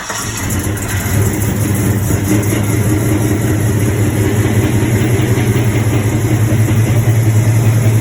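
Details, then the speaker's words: LS-swapped C10, 6.0 with a cam, started after a new tune was written: loud, deep idle with an uneven, lumpy beat; idle misfire from leaking, half-clogged junkyard injectors over-fuelling at idle, smoothing out with a little more rpm. "You could pull the rail out and sit there and have pressure on it, and you could see the injectors leaking."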